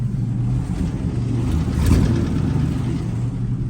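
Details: Deep, steady low rumble with a brief rev and clean return to idle; the factory 305 V6 in a 1967 GMC half-ton pickup runs smoothly and evenly, first start after sitting for 20 years.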